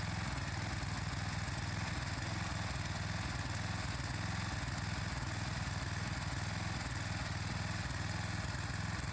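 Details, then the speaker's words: Gas power washer small engine after fuel line and filter reconnected, previously running rough, low power and cutting out despite new spark plug: steady even beat at constant speed, no stumbling or surging; now running stronger and smoother, normal. "you can notice a difference in the way it's running much stronger much smoother"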